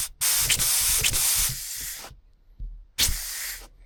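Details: Wig Wag wobbler-style oscillating engine on compressed air, older recording: uneven bursts of air hiss that cut out and restart with stalls; the engine is struggling because the cylinder binds on a skewed pivot point, wearing marks on one corner.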